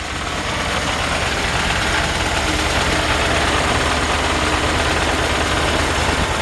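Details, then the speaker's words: 1951 Ford F1 pickup, converted to 12 volt, at idle: steady beat with low droning buzz underneath; vibration from under the truck, cause not pinned down, belt possibly a touch loose, no smoke, otherwise runs really good. "There's something vibrating underneath the truck. You know, it's an old truck, so let's see."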